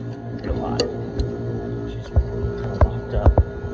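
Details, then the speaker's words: Duke multi-cabinet drawer cooler, first run after clearing clogged filters: a steady low electrical buzz with a higher hum under a few knocks from a buzzing blower fan motor. A new blower motor was later received. "all right this fan is buzzing like crazy"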